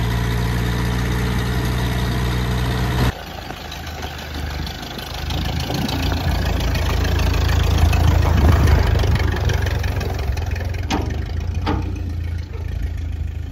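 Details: Ferguson T20 tractor, a barn find standing for 38 years, on its first drive after revival: a deep, steady chug that picks up smoothly with load, with no knocks or misfires. It runs healthy.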